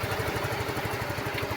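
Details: Yamaha Mio scooter after a no-start from a blown fuse, bypassed through the ignition, charging at 13.5 V: even, steady putter at about ten beats a second, no misses or knocks; normal idle.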